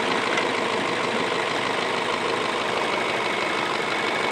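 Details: 2008 Ford Fusion with a P0757 stuck "B" solenoid transmission code, hood open, warm: smooth, even, quiet idle hum with no tick, knock or miss; the owner notes only a little lifter tick at first start. Normal idle.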